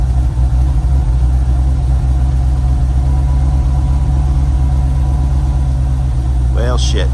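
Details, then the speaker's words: 1989 C4 Corvette TPI right after fuel pump module replacement for long-start issue: deep, even rumble holding steady idle without stumbling or hunting; runs smoothly and healthy. "runs fine for 124 degrees almost like at this temperature"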